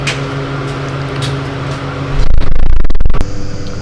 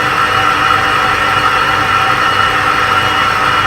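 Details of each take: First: Clarkson tool and cutter grinder motor run alone with belt removed: steady hum with low rough rumble underneath, then handling noise; confirmed motor bearing noise. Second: Clarkson tool and cutter grinder after teardown and overhaul to cure excessive noise: smooth, even whir with a steady high tone and no rumble or chatter; spindle bearings sound healthy, normal running.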